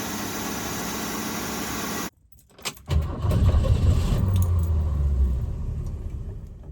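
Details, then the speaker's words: 1966 Ford Mustang 200 straight-six after repair of its Holley one-barrel carburetor, the cause of a no-start; the needle and seat still isn't quite right and will be replaced. Engine catches and settles into a steady, even low idle with no misses. "It's running again."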